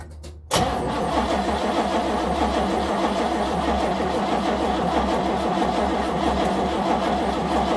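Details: 1970 Nova SS, first cold crank of 2023 after sitting since October 2022 with no battery charging: starter grinds engine over several seconds in a steady, slightly uneven rhythm without catching; cranks but no start.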